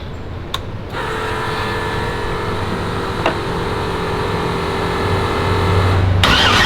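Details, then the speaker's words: First fire-up of twin-turbo Black Sheep LS engine in street car, factory replacement starter, fuel pressure set: brief crank, clean catch, steady even idle, no misses, ticks or leaks heard. "sounds pretty healthy like i'm like hey watch for leaks and john just like yeah i didn't hear any leaks bro"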